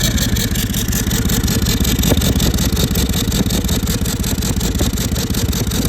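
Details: Toyota 200 series Land Cruiser with a 1VD diesel, oil changed every 5000 km with full synthetic: a rough, pulsing run with a rising siren-like whine, heard while driving along with smoke from the exhaust. The turbocharger had failed.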